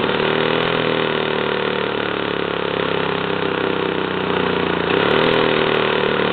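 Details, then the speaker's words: 1977 JCPenney Pinto two-stroke moped, sat about 8 years, run on a Briggs & Stratton lawnmower carburetor with oil mixed in: busy raspy buzz holding a steady fast idle with a brief lift near the end; running fine. "I got this Briggs and Strat and carburetor right here off of uh a lawn mower yeah and I'm running oil in it it's two stroke carburetor don't seem to mind"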